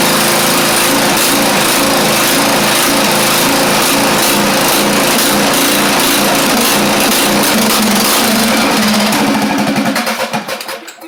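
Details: Craftsman YT4000 riding mower engine, first run, fuel freshness doubted: fast, slightly uneven pulsing beat that wavers before dying off; carburettor said to be not really good, rough running.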